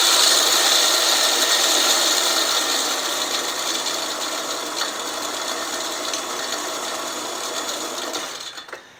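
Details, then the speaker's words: California Trimmer RL205H 20-inch 7-blade reel mower with a Honda GX120, backlapped in reverse with lapping compound. A light, even hissing whir with faint ticking fades as it coasts, and the reel now spins freely. "it's definitely spinning a lot Freer and the sound has completely changed"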